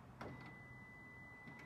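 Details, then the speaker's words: 2013 Lexus RX350, 156,000 miles, failing power liftgate motor/actuator: short latch clack, faint electric buzz about a second, another clack as it relocks; gate tries to open but doesn't; liftgate latch releasing and relocking without opening. "and then it locks again so it tries to open but it doesn't open"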